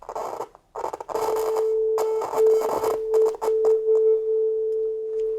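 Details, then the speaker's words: Soundtracs JADE 32 inline analog mixing console, about 30 years old: a steady test tone breaks into scratchy dropouts and crackles as the channel gain pot is turned near the end of its travel. Oxidation is suspected because that range is rarely used, but a fault further down the line is possible. Working the pot improves it. "o me this sounds like this one has some oxid on the last piece of the gain potentiometer because that's rarely used so to me that's sounds like it's the potentiometer"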